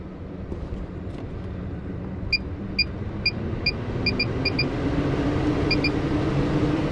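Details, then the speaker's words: MaxxAir roof vent fan installed in a bus emergency exit hatch on a 5 amp fuse, switched on with the lid fully open on an 86°F day; a steady airy whoosh builds with a few short control beeps as it pulls hot air out normally. "It's sucking all the hot air out. Granted, it's all hot air right now because literally is like, what, 86 degrees, gonna be 93 today. So, but it's pretty awesome. That pulls quite a bit out."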